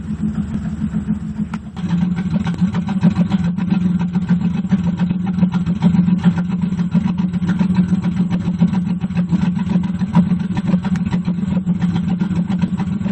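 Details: 1998 Pontiac Firebird Trans Am WS7 V8 at idle: uneven lope with dropped beats and stumbles; persistent misfire despite new NGK plugs, new Vengeance Racing plug wires, cat temps checked fine and a swapped de-screened MAF; cause unknown.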